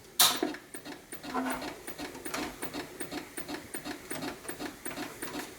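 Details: A recapped vintage Macintosh Plus, with an 800K floppy in the drive, chimes and is reset. After a sharp click, a quiet, fast, uneven mechanical ticking keeps repeating and it never boots. Suspected cause: two capacitors not replaced; unconfirmed.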